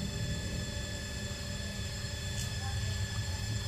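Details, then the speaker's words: Front-load washing machine after repair; before the fix the drum would not spin at all: a steady deep hum with a rising whirr as the drum climbs to high speed, smooth with no scraping, smoother than when new. Normal high-speed spin. "nah ini sudah mulai muar dan suara putarannya ini udah kayak waktu waktu pertama Beli cuman lebih halus pertama beli sih ini"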